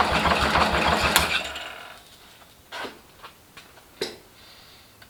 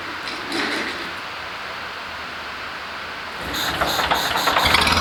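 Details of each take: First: First start of rebuilt International Harvester Cub Lo-boy C60 engine after oil pump priming, carb and timing not yet dialed in: brief crank, catches instantly, steady even beat with no knocks or misses; normal healthy start. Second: International Harvester Cub Lo-boy tractor, freshly rebuilt C60 engine: ragged, lumpy beat that won't settle to smooth idle; carburetor flooding itself, gas piling up, making it hard to run consistently.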